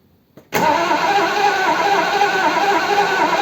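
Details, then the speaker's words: Triumph Stag, off the road about 20 years, after a top-end rebuild, first start attempt, no choke, in neutral: steady starter drone, engine spins evenly but never fires. Fuel suspected, not confirmed; cranks but won't start. "Okay. What does that tell us? Seems like fuel, doesn't it, really? Get through. Well, it's got fuel."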